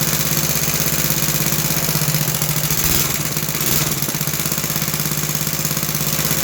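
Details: Roughly 66-year-old 1960s English Suffolk single-cylinder engine after carb clean and new plug wire, started on choke: steady chuffing, even firing, no knocks or misses; runs healthy, apart from a rattle in the starting mechanism.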